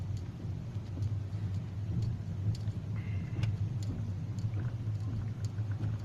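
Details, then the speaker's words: Hyundai i40 cabin while driving, two days after dashboard rattle fix by gluing the panel under the windshield: steady low road rumble with no crackle or creak; dash now quiet. "спустя два дня ничего не трещит все проклеил все сделал предыдущее видео все трещала сейчас идеальная тишина"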